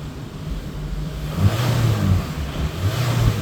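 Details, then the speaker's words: 2018 Hyundai engine with misfire on cylinders 2, 3 and 4 under throttle: rumbling with an uneven internal rattle, ECU pulling timing because of it; diagnosed as engine failure. "acceleration it starts pulling back timing because of that rattle that you can hear"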